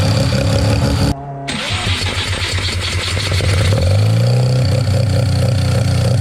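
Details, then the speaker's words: Mazda 13B rotary on EMPI IDA carburetor, after replacing the fuel regulator that wasn't holding pressure: regulator set from about 2 to 3.5 PSI while running and holding steady; engine catches after a brief gap, then steady, even buzzing idle. Normal idle. "okay so uh that fuel rig's all good now um it's holding really steady pressure around 3 and 1/2 PSI so aiming for 3 and 1/2 to four pair size set it at 3 and 1/2 so seems to be holding their um spot on no issues while the car is running"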